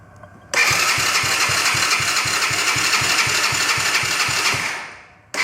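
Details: Broken quad bike after fixing a carburetor fuel leak and refuelling, key and kill switch on: starter cranks steadily at about four beats a second, engine never fires; cranks but won't start.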